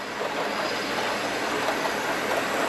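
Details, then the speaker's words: Hornby model train set with the controller switched from low to high; fast, even motor whirr with light rail clatter and no catches or surges; the loco runs smoothly at high speed. "what you can do is on the back here you can flip this from low to high and then by doing that and I'll show you cck what will happen with it flipped on to high now the train is going to go a lot"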